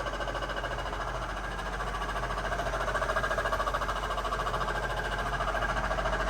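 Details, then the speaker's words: Mercedes SL500 with Active Body Control hydraulic suspension: loud, rhythmic knocking of about three to four beats a second coming directly from the ABC pump, which has failed internally and can no longer produce pressure. "now in this case it's making a loud noise I haven't heard this noise before I've seen a whole lot of failed ABC systems but I've never heard this loud noise it's coming directly from that pump"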